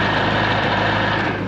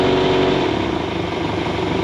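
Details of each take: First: Rebuilt boat engine, after lowering the sterndrive from full trim-up: steady, even drone with no grinding or clatter from the U-joint; cold, thermostat not yet open, warm water flowing; running normally. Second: Rebuilt boat engine running on muffs: revs rise and fall with a rough, rhythmic growl from the sterndrive, caused by the drive being trimmed all the way up so the high-speed universal joint binds at that angle.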